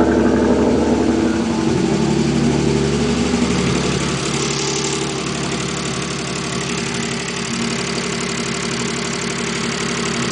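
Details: Mazda K8 at idle with a heavy, fairly even knock about four per second that began after the left camshafts were removed to change a retainer; owner believes belt timing is correct and tensioner fine; source not pinned down.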